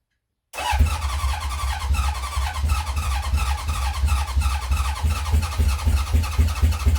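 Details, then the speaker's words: 1970 Honda CB750 K0 after decades sitting, second attempt after squirting under 1 cc of petrol into each carb, choke on, fuel on: deep uneven starter churning with sputtering coughs that never catch; battery sounds to be tiring. "The battery will go in a minute. You can almost sense it giving up."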